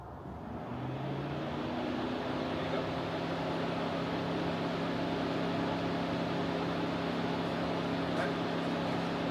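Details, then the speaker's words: Widebody C4 V8 at night after new connections, with cylinders 5 and 6 exhaust valves found stuck open on leak-down: steady, lumpy, uneven running held on throttle that won't settle to idle and dies as revs come down. Stalls returning to idle; cause not pinned down. "As soon as I start coming down, it'll be okay. Then it dies. Then it won't start. So it won't stay running, it won't stay idling."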